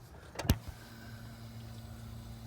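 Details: 1997 Honda Civic, key on after fuel filter replacement: click then low steady pump hum about two seconds, then stops; fuel heard flowing, no leaks found afterward. Normal fuel pump priming.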